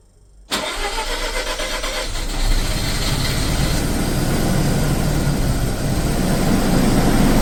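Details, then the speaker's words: Mazda RX7 FC rotary that would not start due to flooding, cranked with no throttle using de-flood, plugs in, charged battery; cranking catches into a ragged coughing idle, nearly dies, smoky, then settles around 800–900 rpm. "so the de flood Works Fair bit of smoke coming out oh it's about to die go on keep going keep going finally nice one"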